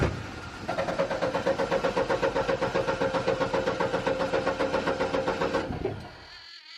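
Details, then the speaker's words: Upright AB62RT boom lift engine, sat over a year, with a replacement fuel pump loosely fitted: it catches, chugs unevenly for about five seconds, then dies; still a fuel-starvation issue, and the owner suspects the new pump is no good. "it's still a fuel issue and I'm wondering if that pump is just no good"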